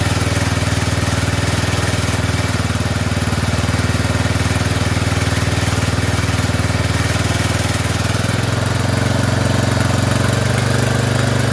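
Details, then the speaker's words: Poulan 12538 XT riding mower, 12.5 hp single-cylinder, 38-inch deck, running: steady chugging then settles to slightly lower even beat, no misses; burning built-up oil off muffler; normal running. "Uh it's burning all that stuff off the muffler though from where the where the oil built built up on it. Okay. It looks like it's okay for now."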